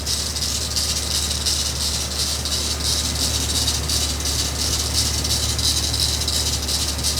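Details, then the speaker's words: 2000 Jeep Wrangler TJ, rebuilt engine warming up at about 150°, cold day: steady idle with dry metallic rattle pulsing about three times a second; owner suspects idler pulley or water pump, unconfirmed. "It would have to be the idler pulley or water pump."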